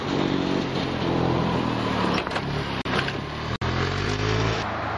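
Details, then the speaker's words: Robin EC25-2PG two-stroke in an EZGO golf cart, muffler refitted, with a missing ring. An uneven, labouring drone with sudden dropouts as it pulls away: it is gutless and backfires from low compression. "anyways I'm pretty amazed that with the problem you saw that I showed you previously in the video that it still runs it's a bit gutless it's a bit hard to start sometimes it backfires a bit"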